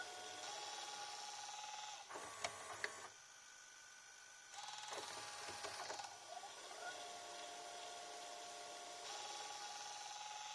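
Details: JVC HR-S9500MS VHS recorder (1998–99 flagship) with Dynamic Drum, during play: steady high-pitched head drum hum with brief clicking mechanism bursts; the heads move and Dynamic Drum works normally.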